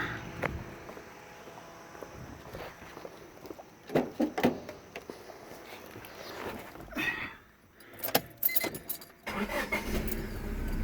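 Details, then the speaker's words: Honda, after the battery post connections were tightened flush: keys and cabin clatter, then the engine catches and settles into a steady run; a clean normal start. "and there you go fires right up"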